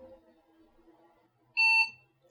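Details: IBM 5150 PC during refurb, now with a keyboard hooked up (Num Lock lights): one short clean beep of about a quarter second in a quiet room.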